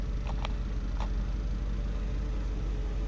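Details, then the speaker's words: 1959 Buick Electra 225, 401 Nailhead V8 rebuilt in 1987, idling with the hood open: deep, smooth, even rumble with no ticks or misses; the engine sounds healthy. "engine sounds really good. Has it been rebuilt or anything? It was rebuilt many years ago."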